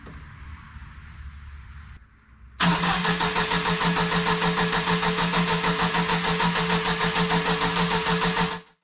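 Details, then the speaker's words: Jeep YJ, sitting about 6 years, fuel pressure present but timing light shows no spark. Steady starter churn about three turns a second, never catches; crank no-start, no spark. "Well, no spark. The fuel pump should have been a hint."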